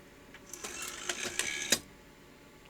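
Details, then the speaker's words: Panasonic MII (VHS-based) professional machine, non-working: tape lacing sounds slow and labored, uneven whirring and clicking of the loading mechanism ending in a clunk; loading motor and its belt suspected, belt to be replaced. "let's um put the tape in they seem seems to be very slow and labored doesn't it"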